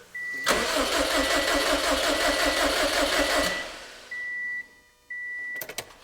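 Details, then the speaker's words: Built Subaru STI on Cobb Accessport base map, first start: starter spins the engine with an even chug about three times a second for three seconds and it never catches, because the crank sensor was left unplugged. "H give me a sec you know it's late let me plug in my crank sensor"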